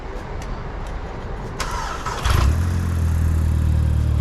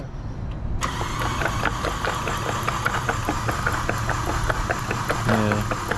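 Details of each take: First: Mk5 Golf GTI TFSI engine and gearbox just transplanted from another car, first start: brief cranking then clean catch into smooth steady idle, no knocks or misses; slight smoke because engine had been upside down. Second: Mk5 Golf GTI TFSI transplant engine still full of oil, cranked on starter with plugs out: steady whir with rhythmic chuffs, fluid still pushed from plug holes, cylinder four worst. Hydrolock.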